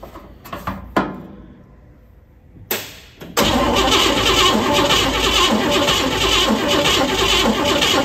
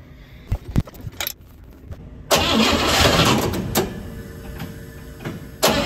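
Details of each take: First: 1957 Pontiac Star Chief, sitting at least 10 years: starter spins the engine steadily at three or four turns a second for several seconds but it never fires; spark confirmed good, engine starved of fuel. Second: 1957 Pontiac Star Chief, first start after sitting over 10 years, after fuel pump refitted and fresh fuel added: starter whirs, engine catches and settles into a steady, even idle with no misses, running healthy now.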